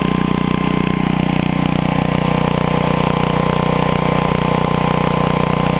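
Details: 8hp Briggs & Stratton engine from an estate-sale generator runs with a steady, even single-cylinder beat, no misses, surges or knocks. It starts first pull and shows no exhaust smoke: normal running.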